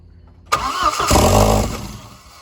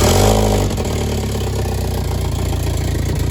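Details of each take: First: B5 big-turbo 1.8T with IE cam, first start after crank-no-start, missing many vacuum lines: catches with a burst, flares, sags and dies within two seconds; stalls from vacuum leak. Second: B5 1.8T big-turbo build on first start, vacuum lines connected but cooling system not yet fitted: catches and settles into a steady low idle with exhaust drone, no knocking or ticking, then shuts itself off for unknown reasons.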